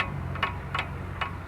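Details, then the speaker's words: Car brake drum with wheel removed, rocked by hand; light sharp clicks about every 0.4 seconds from drum play, normal and not a fault. "جماعه ده صوت الطنبوره لما يكون انت حالل العجله الطنبوره تحرك صوت طقطاق"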